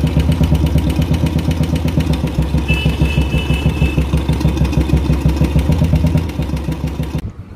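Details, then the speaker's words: Royal Enfield Classic single idling after an oil-flow check and blipping the throttle: a light steady tick over the thump, quieter but slowly rising again; hydraulic tappet noise, likely needing replacement. "आवाज़ कम है but आस्ते आस्ते बढ़ रही है आवाज़"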